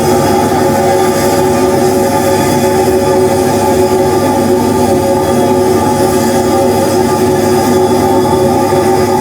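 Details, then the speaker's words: DIY siphon-nozzle waste oil burner restarted by switching on air, fuel and igniters: steady, dense roar with a few constant tones, no pulsing or sputter, stable flame on its own; a bit of smoke at shutdown as air stops slowly; normal operation. "goes I mean now I can live with Grant is a bit of smoke at the end but that's just cuz the air doesn't stop instantly"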